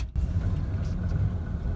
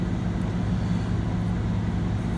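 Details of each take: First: 1994 Ford F-150, 4.9L straight six, five-speed manual; cold start idle lopes and pulses unevenly for about a minute before smoothing, recurring only when cold; idle air control valve replacement planned. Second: 1994 Ford F-150, 4.9L straight-six, five-speed manual, after replacing the idle air control valve to fix a rough idle on cold start: smooth, steady low hum with no hunting or stumbling. Normal idle.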